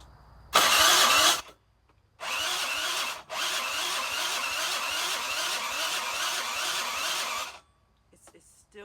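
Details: A $30 Tao Tao 50 moped being cranked with its starter after something was shot into it. Long steady rhythmic cranking with faint puffs that get a little louder, but it never catches; it turns over but won't start.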